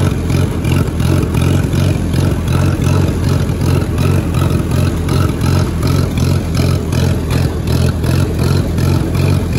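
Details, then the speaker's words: Allis-Chalmers WD-45 tractor going slightly uphill in third gear, bogged and worked harder: loud low drone with uneven lumpy pulse two to three times a second, sputtering under load; owner suspects carburetor and float need rebuilding. "you notice how it's only doing it when i go up a slightly uphill in third gear because i'm kind of bogging it and working it a little bit more"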